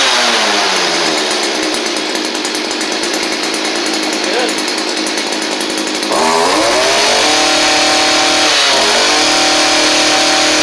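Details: Stihl string trimmer after fitting a Hipa replacement carburetor: two-stroke screams at high revs, eases and picks up cleanly with no bogging; previously bogged on throttle, new carb fixed it.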